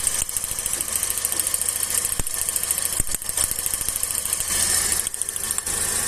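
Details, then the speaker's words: Uneven, stumbling idle with irregular dropouts and a ticky top end. Pulling that plug's cable doesn't make the engine shake, so one cylinder is dead: the misfire comes from an oil-fouled spark plug. "Ou seja, essa vela aqui, ó, tá vendo que tem um pouquinho de óleo aqui em cima, aqui, ó, tá?"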